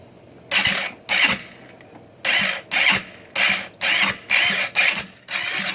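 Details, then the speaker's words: GY6 scooter after adjusting the timing chain (46 link) and the valves, with starter fluid sprayed in: short one-second starter whirs, about nine tries, with brake held and throttle open. It never fires or catches, and the battery is draining. Cranks but no start; cause unconfirmed. "It just needs to make a combustion. We're spinning this right here, we're throttling it."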